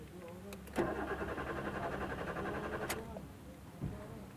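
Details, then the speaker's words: Maruti Suzuki Swift Dzire with suspected faulty ECM, after cycling the ignition: check and security lights flash and go out, then the starter cranks at a steady rate for about two seconds, but the engine never fires; crank, no start. "गाड़ी start नहीं हो रही है और इसको मैं एक दो बार थोड़ा फास्ट करूंगा तो आपको पता चलेगा कि फॉल्ट कहां पे है"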